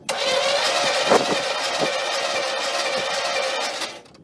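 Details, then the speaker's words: Monte Carlo V8 during a compression test on cylinder eight: the starter cranks about four seconds with an uneven beat and no push back. Cylinder eight has no compression; five and seven are dead, with coolant in five, and a head gasket is suspected. "can tell by that sound there's no compression in eight"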